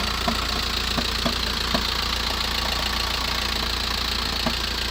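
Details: VW T5 van, 1.9 L 102 diesel, cold start after sitting 24+ hours, idling: sharp light knocks about three or four per second, lasting about 7 minutes then gone; rattle stops with clutch pressed, returns when released; source unknown.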